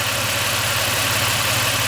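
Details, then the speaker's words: Toyota 5VZ-FE 3.4 L V6 with 280,000 miles, warm idle. Steady, quiet purr holding speed without hunting or knocking; perfectly settled, normal idle. "but perfectly settled it's pouring like a kitten right"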